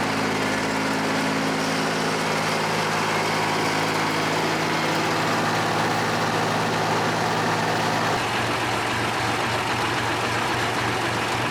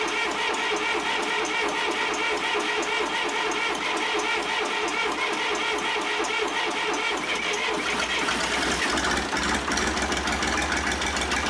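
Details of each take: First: John Deere 350B bulldozer, rebuilt engine's first start after install, break-in idle: smooth, even diesel idle with constant deep hum settling slightly lower near the end; no knocking or misfire; normal idle. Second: John Deere 350B bulldozer rebuilt diesel, first start after rebuild: rough fast even clatter with rising hiss, coolant blowing out radiator cap; head gasket leaking combustion pressure into cooling system.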